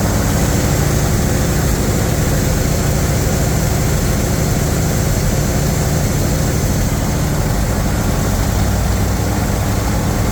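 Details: Chevy 350 V8 in a Wide Gauge Bombardier after a tune-up and an oil and filter change, with long-unchanged black oil drained: deep, steady idle rumble with an even beat and no knocks or misses; idling smoothly and running clean.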